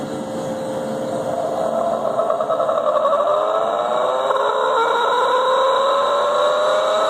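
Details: Leybold Turbovac 150CSV turbomolecular pump, unknown condition, some oil lost; several whining tones climb together as it spins up with a rough mechanical edge underneath; bearings are bad.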